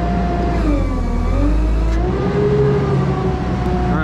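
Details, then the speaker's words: JLG 80 HX boom lift hydraulics with telescope function connected but cylinder dead-headed to peak pressure: steady whistling squeal over engine drone from a different relief valve; telescope pressure reads 2400 instead of 3000, relief set too low, to be adjusted up. "did you hear how the squeal is very different it's a different relief valve"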